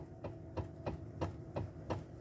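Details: 2013 Toyota Avalon, engine running, steering wheel rocked side to side: about three dull clunks a second over a steady hum, worse when driving; broken electric power steering damper coupler (45254-28040).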